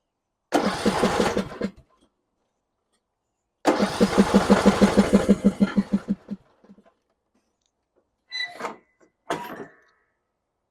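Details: John Deere E100 riding mower that died while driving and let out a puff of smoke (35 hours, gas in tank). Two short cranking bursts at about three turns a second, even compressions, never catches. Cranks but no start.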